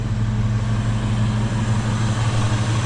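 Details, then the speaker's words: Ford 5.4 V8 truck after repair and major maintenance, check engine light still on; owner thinks vacuum lines are fine. Steady, even low idle with no misses, ticks or knocks; smooth now. Normal idle. "listen to that she's smooth now but I'm thinking all the vacuum lines are fine"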